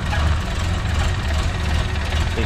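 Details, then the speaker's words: Renault 5 Extra with C1J turbo engine, first start after EFI conversion with MaxxECU Mini, ignition still locked at 10° fixed advance: cold engine chugs low and slightly uneven with a soft stumble, needs more choke. "need a bit more choke oh she did right"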